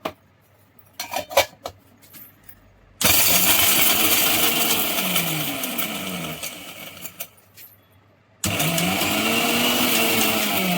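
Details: Bajaj mixer grinder after armature bush and jar bush replacement, fixing a loud grinding noise: a loud, even high-pitched whirr in two bursts with a smooth run-up and no rattle or grinding; the grinder sounds healthy.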